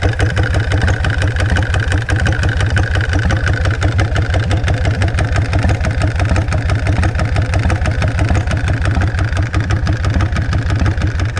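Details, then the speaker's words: Custom V-twin motorcycle built in 2006, decompression fittings on both heads, hard to start, idling while still a little cold: deep loping thump about three beats a second, slightly uneven but steady; normal cold idle. "So let me start it up so you guys can hear it. It's got decompression fittings both heads. Oh, here's a beast to start. See if it'll idle. It's a little cold still."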